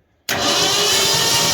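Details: 1984 Ford F250 Bullnose 460 V8, tested coil, one spark plug wired, cranking with a sudden steady loud whir that never catches; spark confirmed afterward, coil making noises; cranks, no start.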